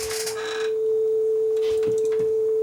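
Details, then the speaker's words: Sony TC-W32 dual cassette deck, about 40 years old, after belt work: the B side plays a steady test tone holding pitch without audible wobble, low flutter. It is about as good as this low-end deck will get, though the flywheel was seen wobbling. "the bside sounds a lot better so I think this is about as good as this one's going to get"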